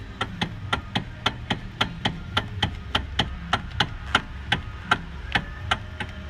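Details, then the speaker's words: Sharp regular clicks, nearly three a second, when steering a Kia Optima (same on Hyundai). Caused by a worn small rubber coupler at the electric motor on top of the steering column; the roughly $3 part fixes it. "see it's just a little rubber mechanism almost looks like a boat but are pumping anyway you have this noise that's your problem"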